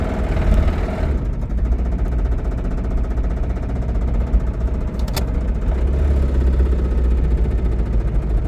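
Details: Toyota Camry petrol engine with a heavy, rapid, dull, booming low knock tied to engine speed; suspected rod knock, not confirmed.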